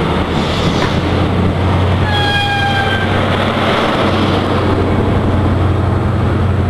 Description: IC125 pulls out of platform 5 Reading making a very strange noise.